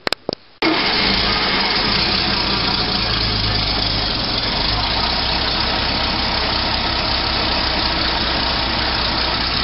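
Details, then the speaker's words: Rally car after further starter motor work, an earlier attempt having smoked and stopped turning: quick, even whir of the starter spinning the engine briskly; healthy cranking speed. "see it's turn yeah it's turn pretty quick all right that's that's what you need"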